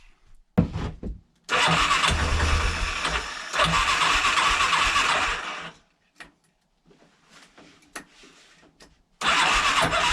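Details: 1987 Big Bear 350 4x4 after replacing a failed starter one-way bearing and a seized one behind the flywheel: starter spins the engine briskly, it catches and runs unevenly, then cuts out; cranking restored, start still rough.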